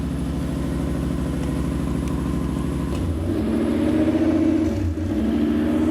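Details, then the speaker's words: 1993 Lexus SC400 1UZ V8 idles high and hunting, pitch climbing and sagging, fluctuating between 1500 and 2000 rpm; later traced to a sensor. "don't know if you guys can hear me or hear this idol but it's it's all over the place right now it's going up and down"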